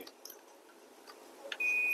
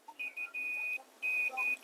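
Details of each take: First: Dell Latitude 5440 with AC adapter unknown fault, multimeter in continuity mode on the charging pin: probe clicks then one steady half-second beep; charging port good, fault later found at blown PL3 inductor. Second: Dell Latitude 5440 AC adapter circuit with blown inductor PL3: multimeter continuity check gives repeated steady high beeps on the output side toward the charging pin, a dead short to ground, traced to a shorted diode.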